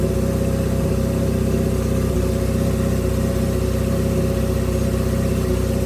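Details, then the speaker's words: Honda CB550 cafe racer four-cylinder with air pod filters, carburetors just gone through: loud, slightly uneven idle pulse that won't settle; owner says pod filters make idle poor and idle-to-midrange transitions jerky. Rough idle, lean carb mixture suspected. "So your transitions between idle and mid-range will be very jerky, and it may not idle very good at all. Like I've got it kind of idling here."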